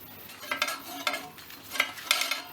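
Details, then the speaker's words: Scott Bonnar 45 reel mower, reel being set against the bottom blade: irregular light metallic ticks, a few per second, as the reel turns. The reel taps the bottom blade because it is set too close, heard from the right side; the blades are uneven. "we've got a bit of a tap going on now as well, so that's not what we want. That's too close."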